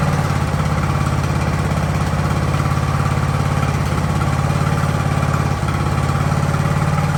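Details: Ariens hydrostatic-drive riding mower, sat at least two years, idling in neutral in a cramped shop at about 30 degrees: steady low putter with even firing pulses about three per second, no stumbling or dying; normal idle.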